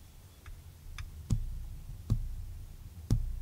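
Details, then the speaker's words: Ferrari with worn cambelts, belt plucked and picked up by a microphone with gain turned up: each pluck gives a dull, very low thrum that dies quickly; loose timing belt from age and mileage. "can hear that very low frequency i'm going to turn the gain up a bit so you can really really hear it"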